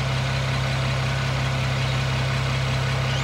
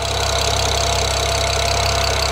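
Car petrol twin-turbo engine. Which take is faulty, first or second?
first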